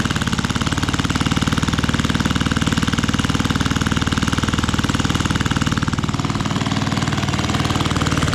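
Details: Fiala Valach VM70V1 70cc four-stroke, newly installed in a Hanger9 X-Cub RC plane restrained outdoors in cold, snowy weather, first run: crisp, evenly spaced firing pulses that lift cleanly with throttle, no misses or knocks; healthy running.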